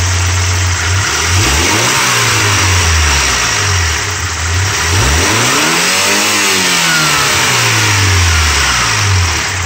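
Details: Mazda B2600i 2.6 L G6 engine running a swapped B2200 F2 ECU for a few months, warm, clutch in, neutral, blower off: smooth idle with clean blips, crisp throttle response, no stumble or bog; engine healthy.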